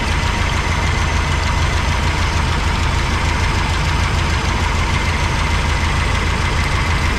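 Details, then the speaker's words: 1985 GMC C25 V8 idling with valve covers off during lifter adjustment in 1/8-turn steps: fast, steady, light ticking at about three a second over the idle; valve lifter tick on one bank, adjustment may need redoing. "I'll probably have to go back through and do them all again because I got so much noise over here."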